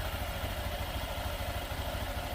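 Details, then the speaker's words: Honda Beat Deluxe scooter after a new crankshaft, idle being adjusted with the CVT cover still open: steady low single-cylinder putter, even, no knocks or rattles; smooth again. "Nah, suaranya udah halus kembali ya, kruk as baru."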